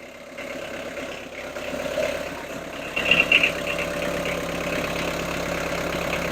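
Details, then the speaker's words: Fiat Ducato camper van turbo diesel, just started after timing and water pump work, cold before thermostat opens: steady even idle with light turbo-diesel clatter, no knocks or misses, running normally; warning light flashing from separate electrical problem. "now as you can hear it sounds like an old turbo diesel engine"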